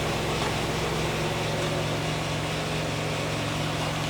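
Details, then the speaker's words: 1995 Pontiac Firebird 3.4 SFI after coil pack replacement: steady, even idle with a smooth low rumble, no misses, stumbles or ticks; running much smoother than before. "Seems like it's running a lot smoother than it was. So, what we have to do is test drive it now, but it's uh it does seem smoother."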